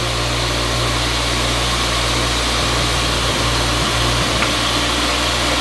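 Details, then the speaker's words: Old three-phase grinder/polisher bought with a locked-up arbor, first run: a steady, even motor hum holding one pitch with no wobble or rattle, spinning the right way and vibration-free. "it's spinning the right way the first time yay and it works this is going to be good sounds good doesn't it no vibrations"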